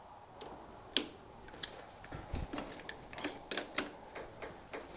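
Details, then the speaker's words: John Deere D110 lawn tractor, key off, power lead jumped straight to the starter terminal: only faint crackles of weak spark, no cranking; owner concludes the battery is bad despite reading 12.6 volts, safety switches ruled out and solenoid thought okay; no crank, weak battery. "but it should crank there's a little bit of little bit of spark there but hardly anything going on so after all that i think the problem is with the battery even though it's showing me 12.6 volts"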